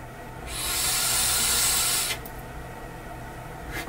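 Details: SMOK Cloud Beast tank (TFV8/TFV12 series) with dual-core coil: airy hiss with a faint high buzz during the draw, stopping when the pull ends; airflow through the coil buzzing, cause unconfirmed.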